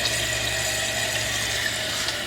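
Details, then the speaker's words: Toilet after replacing fill valve with a Fluidmaster 400A universal fill valve; flushed and refilling. Steady hiss of water filling the tank with low hum, no squeal, whistle or chatter, quieter than before: normal tank refill. "It's another flush. That's what it does there. Filling back up there good."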